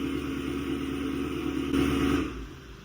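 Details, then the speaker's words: 2016 Chevy Camaro SS 6.2L V8, about 50k miles, after a new factory GM thermostat: remote started, then shut off. The fan roar continues, surges briefly and winds down to quiet. Fan shutting off normally shows the thermostat works. "And that sound you just heard right there is the fan turning off, which means the thermostat is working."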